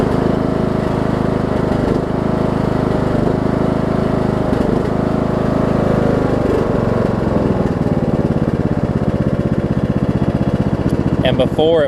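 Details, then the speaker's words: Troy-Bilt Bronco, Briggs & Stratton 18hp Intek, Chinese Nikki-copy carb with drilled low-side jet, air filter on, low fuel; steady drone with blades running, slight speed rise and fall every few seconds, mild surge remains. "but as you can hear it's no it's not surging you are near as bad as it was"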